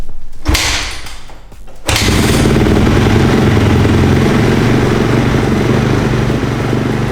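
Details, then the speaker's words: 2010 Honda CRF250, cold and unstarted for about 2 days, kick-started on choke: a couple of thumps, then it catches and settles into a steady, even single-cylinder idle; healthy cold start. "The bike is cold. It has been started in like 2 days. Let's give it some choke. Let's hope it starts."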